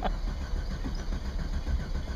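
Low uneven churning as the engine turns over and catches roughly, then stumbles; no firm start, cause not evident by ear.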